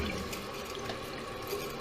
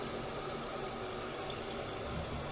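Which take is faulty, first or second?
first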